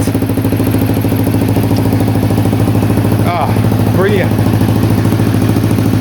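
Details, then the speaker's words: 1985 Honda XL250R with swapped-in CBX250 electric-start engine, new carb, new exhaust manifold: steady even thumping about two and a half beats per second, no misses or knocks; clean idle, owner thinks idle needs adjusting. "Wow, that sounds pretty good to me. I'll just give it one more start. I need to adjust the idle, I think."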